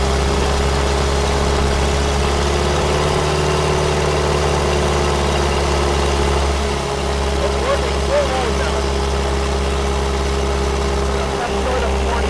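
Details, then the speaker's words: Freshly rebuilt 1931 Ford Model A four-cylinder loaded on water-brake dyno, making about 120 lb-ft torque and not rising further; steady even low rumble, no knocks, misses or squeals; normal running. "By letting more water into it, it works it harder. Okay, we're putting out about 120 pounds of torque, and it won't rise above that."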